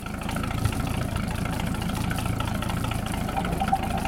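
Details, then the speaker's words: 1946 Century Sea Maid boat, Grey Marine Phantom 112 straight-six, hose-started on the trailer, idling after a blip of throttle; smooth even low rumble with no knocks or misses. Idles like a champ, healthy warm idle. "letter idle this thing Idol's like a champ"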